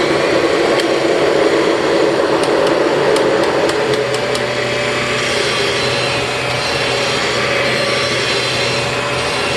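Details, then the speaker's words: 1996 Kirby G4 vacuum driven after fitting new front and rear motor bearings: a steady mid-pitched whine over the motor rush persists while driving, a transmission whine the bearing job didn't address because the transmission wasn't touched. "okay obviously that did not help the transmission wine at all and I can't say I really expected it to because we didn't touch the transmission"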